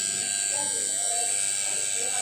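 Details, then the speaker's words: Washing machine wash motor newly wired to the timer and running on mains power, turning in both directions for the wash: steady high buzzing hum at unchanging pitch, no grinding or stalling; motor spinning freely and healthy. "Timer के साथ ये पूरा का wiring किया गया है। ये buzzer का आवाज़ आ रही है, ये हमारा बजर है, ये बजर बज गई है, और ये का मोटर है,"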